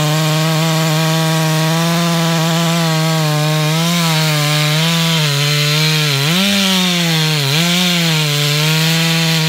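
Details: Stock MS461 with eBay ported muffler, well worn, over a year of cutting; hand round-filed chain used a week, no touch-ups; felling cut in big northeastern red oak, camera a ways back. Strong steady high pitch with brief dips, no chatter: sharp chain cutting under load.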